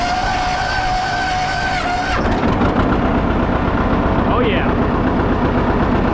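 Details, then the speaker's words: John Deere 30 series two-cylinder diesel tractor cranked until oil pressure built, then started: starter tone cuts to a steady, even chug at idle; starts readily, runs smooth and idles better than the other tractor, normal. "It's a pretty dang good running tractor. Kind of hear it. It idles a a lot better than that other one over there."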